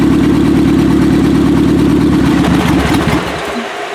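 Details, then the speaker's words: 1995 Acura Integra LS, turbo B18 semi-built motor with forged pistons and rods, aftermarket cams, eBay turbo, new head gasket: first start-up rough lumpy skipping idle before dying away, as if a cylinder is not firing; suspected misfire. "Sound like some of them weren't exactly doing their job. I don't know if you should try to clear it out a second."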